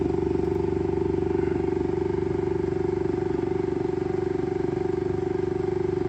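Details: Saturn Ultra 4 16K resin 3D printer after starting a print: platform keeps rising with quick even knocking, about four a second, over steady motor hum before resetting and printing; cause unknown.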